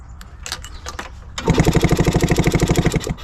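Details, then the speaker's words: 1967 Yamaha YL2C Trailmaster 100 motorcycle, spark plug removed so no compression: a few clicks, then fast, even chugging cranking for under two seconds; the electric starter, newly discovered to work, spins the engine freely and strongly. "This whole time, I must have kick-started this thing 100 times with my foot in that last video. And it's got an electric starter that works."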